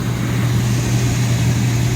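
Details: 2002 Reznor unit heater with code 2 pressure switch failure, after cleaning, inducer motor drawing 1.4 amps against a 1.6 rating: steady, even low hum with no ticking, scraping or wobble; normal inducer operation.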